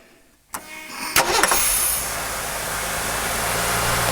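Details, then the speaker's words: 1985 Jeep CJ7 4.2L 258 inline-six just converted from carburetor to throttle body fuel injection: after an ECU reset it cranks, catches and flares to a 1,400 rpm fast idle that drops back within 15–20 seconds, a normal start-up. "you notice it went up to 1,400 and now the biggest thing of it is if it don't come down right away within that 15 20 second period well we we did we did luck out it came down now once it once it runs a little bit it'll come all the way down to that 650 RPMs"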